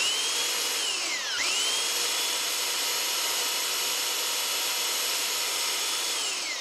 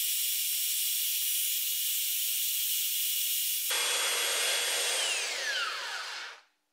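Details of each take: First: Flea-market Holtshair hand belt sander while adjusting belt tracking: high motor whine dips sharply, recovers, then winds down as the belt snags, stops everything and breaks; owner unsure if his fault, belt looked little used. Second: Flea-market Holtshair hand belt sander fitted with a new belt: even high-pitched whir with steady belt hiss, then a smooth falling whine as it coasts down; runs fine.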